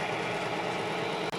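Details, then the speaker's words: Oil additive test rig with BestLine added, at about 184° and with load stepped from 10 up to 40 ft-lb. Steady, even whirring, much quieter than without the additive, with no squeal, chatter, grinding or seizing. "There's 10. There's 15. There's 20. So much quieter."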